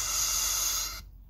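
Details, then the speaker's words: Subaru (2007–2017) boost control solenoid on the bench, 12 V applied and compressed air blown through, output checked at port B: clean strong hiss for about a second then sharp cut-off; solenoid opens and flows normally. "all i'm doing is just connecting and disconnecting it here and you can hear the air coming out that's the third and final test you can do and that determines that this valve is in perfect working condition"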